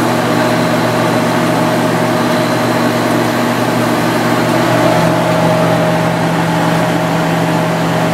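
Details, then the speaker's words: 1995 Sharp Comfort Touch 10,500 BTU air conditioner, after motor bearing replacement, running on high: steady even hum with smooth low drone and refrigerant flow noise, no knocking or bearing growl; normal running. "motor sounds real happy now noise you're hearing is just a refrigerant going through the lines the bearings are pretty quiet compared to how they used to be"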